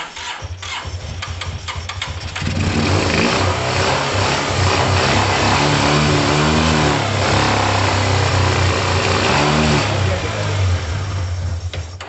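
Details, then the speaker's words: Yamaha TMAX carbureted scooter, kicked over while starting fluid is sprayed in: cranks, catches and revs rough for several seconds, then dies. It runs only on the spray, so it is struggling with fuel, either delivery or caked-up carbs; carbs likely need cleaning. Fuel starvation. "Alright guys, that's good news because it started. That means it is struggling with fuel. That could be fuel delivery, or it could be a caked up carb."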